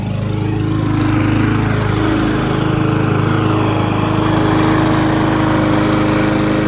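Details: Abandoned Briggs & Stratton lawn mower, unrun at least six years, outside after about 10 minutes running and a cleanup: steady, even small-engine drone with smooth firing, no misses or knocks, running a little smoother. Normal running.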